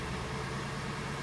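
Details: Kia Sportage SL facelift, G4NA engine, 100,000 km, after a major overhaul for cylinder scoring that caused knocking after cold starts. Smooth, even idle with a steady low hum and no ticking or knocking; the engine runs normally.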